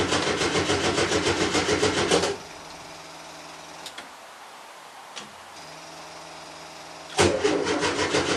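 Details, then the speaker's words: Volkswagen T2 van, air-cooled engine, cold start after about five weeks standing, usually needs several tries while fuel pump primes, pops from exhaust: steady slightly lumpy beat, goes quiet, fires again; normal cold start. "so she normally takes a few times to get started need to let the fuel pump kick the fuel through and it should not be started in a while especially in particular when it's cold you'll hear that pop pop from the exhaust which is why she was named puppy"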